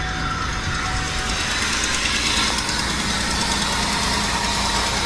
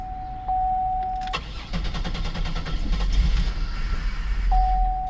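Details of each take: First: 2002 Buick LeSabre 3.8L, towed in with a crank no start and a dead battery, suspected bad fuel pump: steady, even idle with no misses, knocks or stumbles once the pump runs after being banged on (about 16 gallons per hour flow); the pump likely has a bad spot. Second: 2002 Buick LeSabre 3.8L, towed in with a completely dead battery, crank no start: repeated bursts of steady cranking with a warning chime between tries, engine never fires; sounds like no fuel, fuel pump suspected dead.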